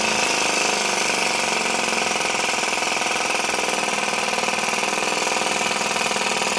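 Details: Little Blazer model two-stroke engine, one of four built, after warm-up to clear moisture that forms around the port: a high, fast buzzing note holding steady with no misses or surging, running normally.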